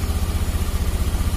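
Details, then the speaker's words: Honda Beat FI scooter, after the battery fault behind its unstable idle and weak fuel pump pressure was dealt with; charging steady at 14 V; quick, even exhaust pulses at steady idle with no misses or hunting. "Coba saya gas. Oke, angkanya tetap stabil di angka 14, pengisian oke, dan motor bisa enak."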